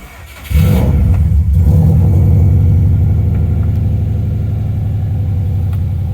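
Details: Subaru GF8/GC8 WRX with swapped engine, first start, in neutral: cranks briefly, catches at half a second and settles into a loud, deep, steady idle with even beat; normal start and idle.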